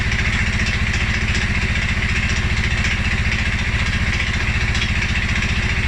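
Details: 2011 Polaris Sportsman 550 XP, EFI: low, lumpy idle with slightly uneven thumping and exhaust rasp; stumbles cold on startup and after riding or revving. Dealer found TPS, IAC, TMAP in spec; valve clearance, timing, new plug, 43 psi fuel pressure good; rough idle, cause unknown.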